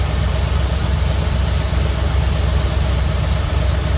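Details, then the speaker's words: 1972 Ford F100 junkyard survivor truck on rebuilt carburetor, started from the key switch: steady deep even V8 burble at idle with regular low pulse, no knocking or misses, running like a dream; normal idle. "it feels good to be able to start it from right here that's uh and it's running like a dream"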